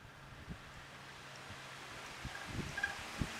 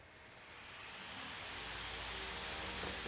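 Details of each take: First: Dirty box fan motor spinning up with a steady high squeal and rapid ticking from a dry, squeaking bearing; the fix planned is to blow it out with an air hose, check for loose parts and oil it. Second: Household fan after reassembly to fix a squeaky motor: spins up to a smooth, steady whoosh, nice and quiet, no squeak or rattle.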